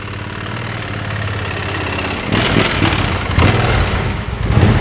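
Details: Original knocking engine of a 2005 Suzuki V-Strom 650, restarted with the oil unchecked: uneven, lumpy idle that stumbles and surges on throttle blips. Rough running, cause not confirmed.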